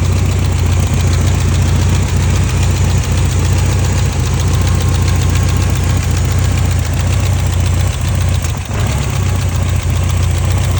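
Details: 1989 BMW E30 M3, S14 engine, idling; uneven idle with an irregular low thump a few times a second in the exhaust, suspected misfire, not confirmed.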